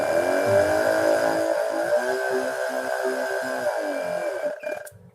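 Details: Modified dual-connector sprayer pump on an adapter, cable in the upper plug so it runs through the switch and potentiometer regulator. Switched on it gives a steady, even high hum with a clean pitch, then winds down when switched off; normal pump operation.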